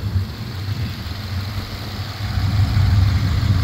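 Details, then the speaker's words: 2014 Subaru Outback, AWD, just started: steady, even low idle rumble with no knocks or misses; started right up and runs well, though auction reported front suspension noise. Normal idle. "a little bit dirty but it started right up and it seems to be running good sorry running well"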